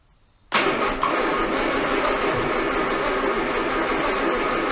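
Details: Armstrong Siddeley Star Sapphire special, first start attempt in probably over 40 years, a little choke, fuel in the back carb but unsure about the front: cranks steadily for several seconds without firing. Ignition timing uncertain.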